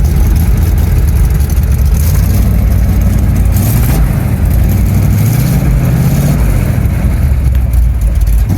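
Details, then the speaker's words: 1975 Chevy C10 square body with a cammed engine, converted from automatic to manual; the seller couldn't fix a knocking engine. Deep, lumpy rumble revving strongly, crisp and even with no knocks or rattles; sounds really good and healthy. "It used to be an automatic. Yeah, he switched it to manual. It actually sounds really good."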